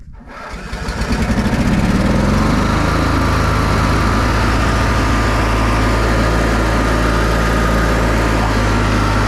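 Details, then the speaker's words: Older Briggs & Stratton Sentinel by Murray ride-on mower after starter drive gear replacement, idling in neutral with park brake on: fires within a second and settles into a steady, even single-cylinder beat, no misses or surging; sounds healthy. "all right all right so it's in neutral and the parks on so it shouldn't cut off even want to hop off sounds good idling"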